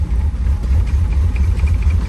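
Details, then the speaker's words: C4 Chevrolet Corvette recovered from a Florida swamp, first drive: low uneven idle that surges and stumbles with no steady beat; cause not yet known; rough running. "boy she is not happy"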